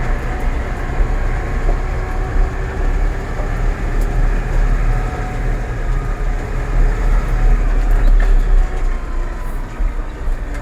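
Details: Massey Ferguson 4708 tractor gearbox noise: loose, uneven rattling clatter over the tractor's low drone, not locked to a steady beat; noisy gearbox problem.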